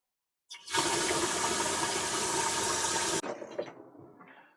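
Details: Tank float valve after fitting a new diaphragm, filling faster: hard rush of water into the tank for about three seconds, then cuts off sharply and drips away; valve shuts off properly after repair.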